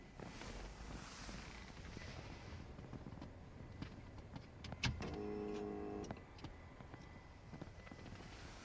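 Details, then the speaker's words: VW Passat 2.0 TDI with a no-start traced to a melted fuel pump connector, after cleaning and repairing the pins, camera at the in-tank pump under the rear seat: at ignition on it hums steadily for one to two seconds, priming normally. "you can hear one maybe two seconds of fuel pump. And when you're starting the car, the fuel pump continuously running."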